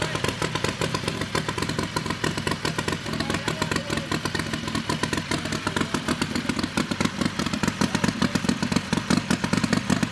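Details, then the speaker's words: Harbor Freight Predator 670cc V-twin with Smart car turbo on methanol, newly fitted Polaris RZR 1000 CVT, run in the shop to check clearances: rapid, even, lumpy idle pulses with no knocks or grinding; it runs healthy. "huh that sounds cool every time it never gets old"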